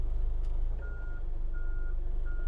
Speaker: now i'm going to check the reverse alarm on here by holding down the brake and putting it in reverse i hear the beeping sound so that means my reverse alarm is working